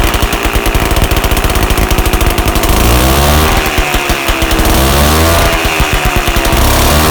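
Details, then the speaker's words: 1981 Yamaha G1 A2 golf cart two-stroke engine during rebuild, run with exhaust muffler removed: harsh, loud crackle, revs swinging up and down; throttle butterfly checked and secure, nothing distinct stands out, owner wonders if some noise is back pressure; cause unclear. "maybe you can tell by that if uh you know some of that noise was back pressure or something i've read"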